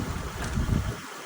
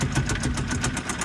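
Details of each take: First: 2007 Honda Pilot 4WD started on a jump box: steady low engine rumble at idle with no knocks or misses, a little wind on the mic; engine runs quiet and healthy. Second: 2012 Kia Rio at tow auction, started with a jump: rough idle with a sharp, regular tapping knock several times a second over the engine note; very loud internal engine knock.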